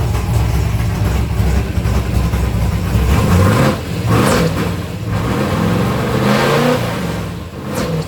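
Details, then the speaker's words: 1964 Ford Fairlane 427 big-block FE V8 with modified dual carbs, cold, idling about 900 rpm: picks up cleanly on each blip and settles back smoothly without hesitation; normal idle and free revving. "It's not even warmed up yet. >> It sounds good, though. >> That revved up about 45 herz."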